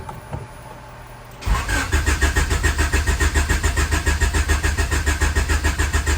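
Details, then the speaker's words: Honda Accord CB7 with built turbo H22, no-start during troubleshooting after checking coils: starter spins engine in even compression beats about 3.5 per second, never fires; owner suspects flooding, will test spark. "Still nothing. All right, I'm going to have to go through this whole test to see if I'm getting sparked or not."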